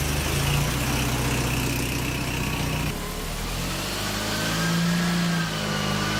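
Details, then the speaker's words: Mazda Miata engine in a kart after replacing a plug wire to the coil: runs evenly at a low steady pace with no stumbles or missing beats; firing on all cylinders again. "so it seems to be running fine now and my tripod is still broke I keep"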